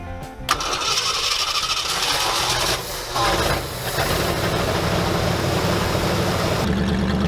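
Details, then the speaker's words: 1968 Ford F100 390 big block, first run in years, tank had water; fuel drier added. Cranks, catches, settles into uneven lumpy idle with wavering beat; rough running, owners suspect remaining bad gas. "And like honestly, it's probably still got some of that bad gas in it still, but yet it's doing."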